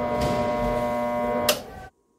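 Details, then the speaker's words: Husky 3.5 HP air compressor, electrical system already checked OK: steady electrical hum with no spin-up, then a click and silence; the motor draws current but does not turn or start, cause not yet confirmed. "se queda bufando se queda zumbando y no arranca"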